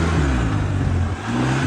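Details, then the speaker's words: Polaris Sportsman 700 quad under throttle while riding, after revival: deep engine note climbs smoothly and evenly, no knocks or misses, pulls nice and hard; a slight pop at takeoff noted earlier. "pulls nice and hard we go see how this thing performs today"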